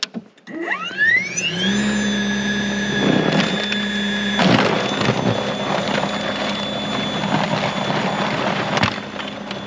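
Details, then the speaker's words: Greenworks 80V 20" brushless cordless snow blower, new, clearing 1–2 inches of light untouched snow on a path down to grass; motor spins up with rising whine to steady tone, snow swishing and thumping: normal running. "So, not too shabby. It actually worked pretty well. The um little pathway that we have here to the the gym shed is completely clear and you can see grass and it actually did a pretty good job."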